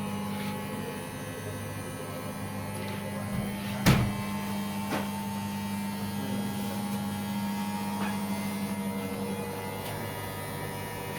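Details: Beko/Condor EV7103 front-loader after its door problem was repaired, on a wash cycle: a steady motor hum with one brief clunk near four seconds as the load shifts, so the cycle runs evenly and sounds healthy.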